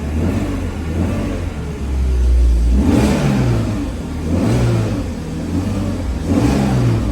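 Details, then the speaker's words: BMW Z4 E85 track car running after a DISA valve replacement, in neutral: clean blips rise and fall every couple of seconds with a steady idle between, no hesitation; normal running. "Hopefully it's all good. We'll give it a start up. So it is the Z4, but it's obviously a track car."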